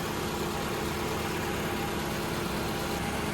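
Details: 2011 Toyota RAV4 engine idling with AC on and fans running after cooling fan vibration repair: smooth, steady idle with an even hum and no ticks, knocks or squeals; normal idle.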